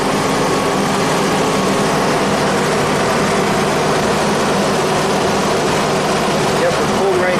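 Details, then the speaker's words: 1991 Audi Turbo wagon idling hot, fan cycled again with about 5.8 V on the gauge side: steady even whoosh of the radiator fan over a smooth idle, no rattle or wobble; radiator thermo switch works, so the car won't overheat. "all right so this car is not going to overheat at least the thermos switch works on the radiator"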